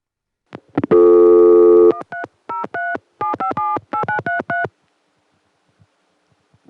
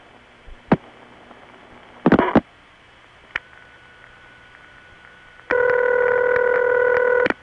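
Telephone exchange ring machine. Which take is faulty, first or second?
first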